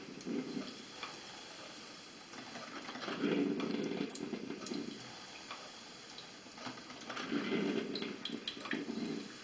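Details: Heavily scaled electric drip coffee maker running plain water before vinegar descaling: slow gurgling bursts every couple of seconds with quiet gaps, sluggish percolation as scale chokes the heated tube; scaled heater tube.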